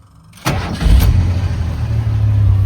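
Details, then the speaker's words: Carbureted old Ford truck after an engine swap, barely warm, no choke: short crank, catches instantly, no hesitation, then a low, slightly lumpy uneasy cold idle. It starts this quickly cold too; healthy quick start. "As you can see, the carburetor has no hesitation starting. This truck is barely warm. Barely warm. And it starts like that when it's cold, too."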